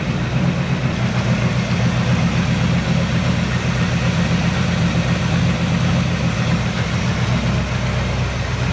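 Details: 1970 Chevy C10 pickup, 327 small block with HEI distributor, wrong ignition timing, running rough and starting hard: deep, uneven, lumpy idle that keeps stumbling and never settles into a rhythm.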